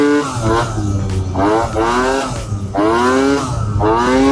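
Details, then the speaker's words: Two-stroke Piaggio Typhoon scooter on a road test after a Stage 6 CVT upgrade with a new contra spring: a loud turbo-like whistle sweeps up with each throttle burst, and the engine sounds strained; CVT whine, cause unclear. "Something is loud. It's like a little turbo in the CVT."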